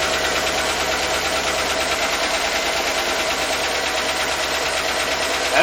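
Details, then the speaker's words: GM V8 with AFM/DOD after releasing a stuck collapsed lifter: steady idle with fast light ticking and a stumbling, uneven beat; owner suspects the lifter not yet pumped up, will check a spark plug and raise rpm for oil pressure. "like the way it sounds it's done here as well into once before but got a little bit of a stumbling going on to it"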